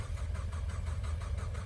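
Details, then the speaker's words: 2016 EcoBoost Mustang with new engine, E85 tune and big turbo, after bypassing a kill switch, tank almost full: steady starter cranking at five to six beats a second, turns freely, not yet catching; sounds like it wants to start. "Almost full? Okay. It sounds like it wants to start."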